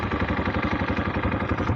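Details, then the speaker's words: Italika DM 250 motorcycle, about 15 days old, windy outdoor recording: steady idle with sharp regular tick about twelve beats a second over the thump; owner asks whether the noise is normal as Italika's mechanic said; cause unconfirmed. "quiero saber si ese ruido es común así como lo mencionó el mecánico de itálica"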